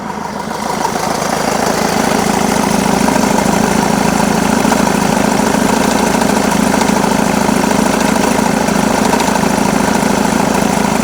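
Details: Jaguar X-Type 2.2 diesel (QJBA, 155 hp, 2005-2010) idling with the A/C on: a steady rattly clatter of about three per second that stays constant under compressor load. Engine noise with A/C on; source undetermined.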